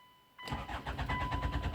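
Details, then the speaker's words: Hyundai Tucson 2007/2008, 2.0 L diesel, P0340 cam position sensor circuit code: steady rhythmic cranking, about eight pulses a second, never fires, scan tool engine speed reading nothing; cranks but no start. "شوفوا الانجن سبيد. طبعا كرانكينج السيارة توا"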